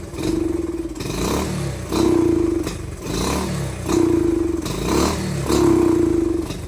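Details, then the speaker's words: Pit/dirt bike carburetor air-fuel screw adjustment: each throttle blip comes out flat and stumbling, revs struggling instead of snapping up; running rich because the pilot jet is too large, smaller pilot needed. "I already know this is a good sign right here that your pilot is way too fat."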